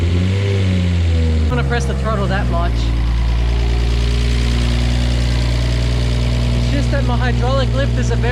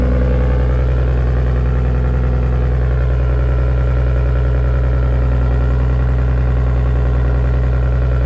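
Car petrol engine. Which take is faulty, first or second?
first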